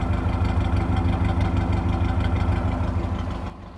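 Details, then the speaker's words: 1982 Toyota 22R with a performance distributor and Weber 32/36 carburetor, tuned: a smooth, even low exhaust pulse at a steady idle of about 750 rpm, with no misses or knocks. A healthy idle. "Get it back down to about 750. Listen to that. It's just happy."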